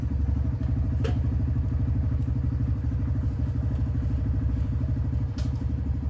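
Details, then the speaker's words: Honda Grom after cleaning and greasing rear brake caliper and pads: single-cylinder thumping steadily while riding, light clunks, no squeal when braking; rear brake squeak fixed. "all right as you guys just saw that uh brake noise is not there anymore so incredibly happy with that"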